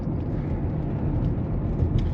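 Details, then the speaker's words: 2020 Chevy Blazer road test after front strut replacement (ball joint had failed at 30,000 mi): steady low road rumble with no knocks or clunks over bumps. Wheel bearing and backing plate noises are gone; normal front suspension. "I don't hear that noise anymore I don't hear the wheel bring noise or that backing plate noise"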